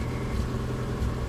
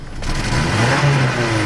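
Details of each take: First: Subaru Outback with an intermittently failing fuel pump: a low, uneven, rough rumble that stays flat or nearly stalls when the gas pedal is pressed, with foul-smelling exhaust. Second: Subaru Outback after banging the gas tank to temporarily free an intermittently failing fuel pump: idle smooth, revs cleanly on throttle blips with no stumble; pump to be replaced.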